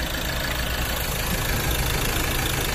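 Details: Ford Ranger 2.2L diesel that wouldn't start, after replacing the suction valve (no diesel supply) and clearing the error code: constant even diesel clatter at idle, no misses, no check-engine light.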